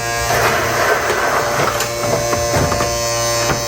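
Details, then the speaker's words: RCA SJT 400 CED player opened up, mechanism not self-ejecting: steady electric buzz with a few ticks and no loading movement; loading motor straining against a bad belt. Owner believes the unit was dropped. "okay so the mechanism is not working right now which makes this really fun using this thing"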